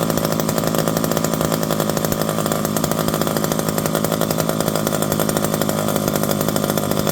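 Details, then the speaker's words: Revived electric-start McCulloch 5-10E chainsaw with bar and chain, cutting: steady high buzzy two-stroke roar holding even speed without bogging or surging; runs healthy under load. "This one's not doing too bad. Throw a bar and chain on it. Once you put them under a little bit of a load, they tend to calm down a little bit."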